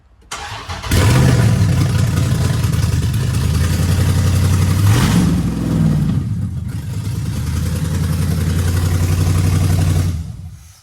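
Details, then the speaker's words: Chrysler 300 that had sat a long time, first start after a poor engine swap and a new body harness, fuel pump primed first: the starter churns briefly, then it catches into a steady, even idle with light blips; a clean start. "Well, there y'all have it. We got the first start up."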